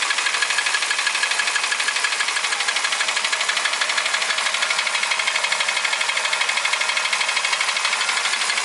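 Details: Toyota Ractis 1.3 2SZ-FE, 6 years, 100,000 km, oil changed every 7–8k km, uses 500–800 g between changes; timing chain, tensioner and guides replaced without effect: sharp regular ticking knock about three per second, steady; internal knock, source unclear.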